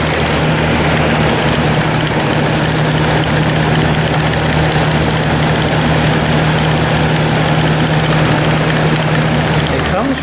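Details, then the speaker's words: Comfort Zone box fan after a year and a half of use, on high speed: steady hum and low drone with scattered faint crackles over the whirr; comes from the motor even without the blade, owner suspects worn bearings. "from within the motor because even without the blade on it makes that sound I think the bearings are just rooted"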